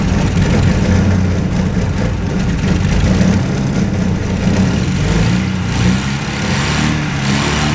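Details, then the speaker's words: Two-cylinder hovercraft engine, newly settled with revised exhaust and carburetion, starts and revs to about 2500 rpm; catches and settles into a steady, even low rumble, smooth rev rise, both cylinders firing cleanly. "anyhow 25 it was about 2500 rpm when I had it speed it up there"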